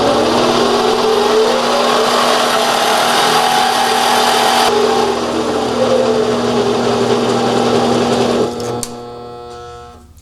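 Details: Mini lathe on a replacement 90-volt DC treadmill motor with an XT timing belt, running forward unloaded after the upgrade. A smooth, steady motor hum with an even whine and no knocks or rattles, winding down cleanly: healthy.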